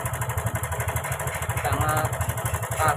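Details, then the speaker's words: Karisma motorcycle with a rough sound and oil leaking from the block: uneven rapid ticking clatter about four times a second at idle; a loose cam chain or a failed automatic tensioner is suspected, not yet confirmed. "sekali di sini ada suara cek cek cek cek cek cek cek cek cek cek cek Arahnya ada pada nxx kita nggak tahu yang kendor atau otomatisnya ini yang sudah enggak main lagi kita belum tahu ya"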